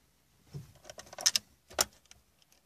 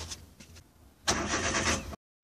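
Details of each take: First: Daewoo Matiz, 10A fuel pump fuse removed to relieve fuel pressure before pump filter replacement: two spells of about two seconds steady starter cranking, engine never catches; no-start confirms fuel pressure relieved. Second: Daewoo Matiz after fuel pump strainer replacement; the pump did not run on the first attempt until its contacts were rechecked. Now the starter turns briefly, then the engine catches and settles into a smooth, even idle. Normal start.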